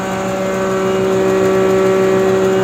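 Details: Nut-and-bolt restored John Deere 6A hammer mill with new bearings, converted to single phase: steady even hum with a constant tone, no knocks, rubs or rattles; running smoothly.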